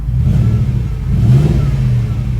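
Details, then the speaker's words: Audi RS6 after power-steering and coolant work, idling while the coolant goes through a heat cycle to self-bleed; no warning lights. Deep steady engine note with a gentle rev swell and drop, smooth, no knocks or misses; sounds all right. "sounds all right."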